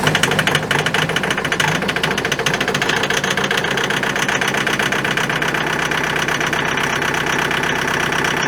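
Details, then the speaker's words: Kubota diesel tractor in the open by the highway in wind, about -30°C after a -40°C night: glowed once 20-30 seconds, reluctant start, then steady rough clatter running evenly, normal cold start. "So as you can see, just glowed it once there for about 20-30 seconds, fired up. It definitely did not want to go."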